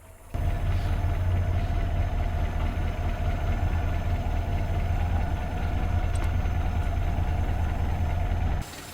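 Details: 1947 Willys CJ2A on its first start after new wiring, with the coil, distributor and firing order set: a steady, even low idle with a smooth beat and no knocks or misses. The idle is normal.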